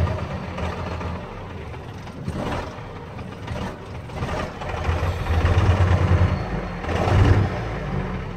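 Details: Cummins 12-valve diesel, rebuilt about 100k ago, timing about 16°, injection pump about 20k ago: lumpy, uneven idle with irregular surges and dips. Misfire gets worse after a few miles until it dies; fuel system parts replaced, cause unknown.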